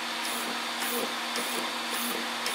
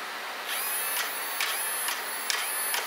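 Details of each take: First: Arrma Senton RC truck after replacing its failed stock steering servo with an Arrma 25-tooth waterproof servo: short, even whirring bursts as it sweeps side to side, no grinding or chatter; steers strongly, working normally. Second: Arrma Senton RC truck's stock Spektrum steering servo failing: short, harsh high-pitched grinding buzz bursts about twice a second as it strains, barely turning the wheels; replaced with an Arrma 25-tooth waterproof metal-gear servo.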